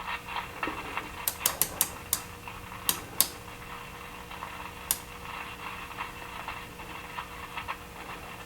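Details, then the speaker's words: RPC Airmaster tube radio, chassis upside down, no station tuned: steady low AC hum with sharp, fairly periodic pops and crackles; the cause was a cold solder joint at the speaker plug socket. "let's switch to ac so we can improve the uh look at our smaller scale and there's some you know ac hum in essence on there and some crackling"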